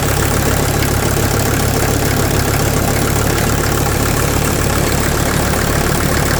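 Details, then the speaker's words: 1983 Mercedes 300D, OM617 turbo diesel, idling after overnight sit, burning oil: steady idle with sharp uneven clatter three or four times a second over low rumble; suspected injector knock, especially injector number one, not confirmed. "it sounds like something's a little clattery on the inside and I'm not 100% sure what it is honestly it sounds like injector knock with the listening that I've been doing"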